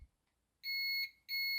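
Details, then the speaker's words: Nintendo DS Lite repair: multimeter in continuity mode gives two clean high beeps about half a second each with silence before, showing continuity; normal. "But if I put my multimeter in continuity mode, that's the mode that where you hit the two leads together, it beeps. So you've got these together, you can hear it beeping."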